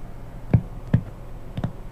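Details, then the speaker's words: PC with ASUS motherboard and onboard SoundMAX, SPDIF out through the graphics card via DVI-to-HDMI to a TV, playing a video: only a few dull isolated pops over near silence instead of the audio; cause unclear. "and that's not supposed to be the sound that I'm hearing right now just those little crackly noises"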